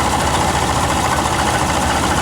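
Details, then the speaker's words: Compressor on the car just AC-repaired (leak possibly stopped, O-rings not replaced) runs with an even, steady idle hum and no on-off clicking or surging; it stays engaged, a bit louder than expected but quieting down, while vent temps drop to the 50s °F. Normal AC compressor operation. "The compressor's quieted down. I was a little concerned like that sounds a little bit louder than I'm used to. She's running consistently."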